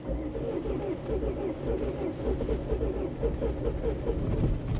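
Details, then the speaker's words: Bentley Flying Spur, 107,000 miles, at auction on a cold, wet day: long, even cranking with no catch, accelerator opened partly; compression issue suspected. "yeah so it sounds like it's trying to start sounds like a compression issue to be honest so we're not off to a good start but at least it's trying"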